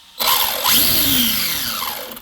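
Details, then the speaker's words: Arrma Kraton 6S EXB RC monster truck, pinion deliberately pushed tight against spur: loud piercing screech swooping with motor speed; gear mesh too tight, fixed by loosening mesh 1-2 mm. "you can hear how loud and screechy that is"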